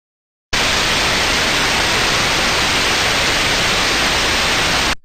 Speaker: so for example here an example sound of a good airing which research should sound smooth and uniform